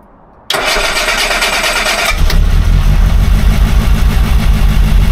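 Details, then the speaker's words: Rover P6 right after replacing faulty timing chain tensioner, run briefly without cooling system: clean start catching quickly, settling to even idle with no chain rattle or chatter that it used to have on startup; sounds normal. "come on here you find a difference yeah brilliant sounds normal"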